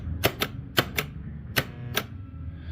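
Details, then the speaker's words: A2 bowling pinsetter motor start relay/contactor on-off test after bending its spring-loaded middle reed: sharp clicks in on-off pairs, then a switch gets no release click; relay is sticking. "I don't know what got stuck, but it got stuck. Stuck. Off. On. Off. Stuck. Off. Unstuck. So, we're sticking for some reason."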